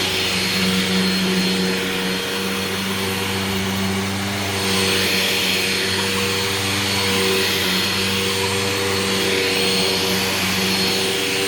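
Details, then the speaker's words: Old vacuum with poor, dust-spewing filter setup: steady high whine with squeaky tones on top; owner suspected the brush roll going out, but after it sat it seemed okay. "squeaky squeaky squeaky squeaky squeaky I think the brush roll on this is starting to go out too"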